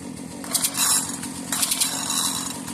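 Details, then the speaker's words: Briggs & Stratton 4-cycle engine, bottle-fed mixed fuel, no air filter cover, seized kill switch and throttle: uneven, sputtering running with ragged bursts and surges; rough running, cause unclear. "Does not sound good. I don't even have an air filter cover or anything for this. Sounds like absolute dog crap."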